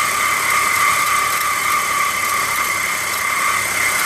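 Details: BMW E46 steady piercing squeal from the engine compartment when cold, from worn belt pulleys. Fixed by replacing the belt tensioner and idler pulleys as a kit.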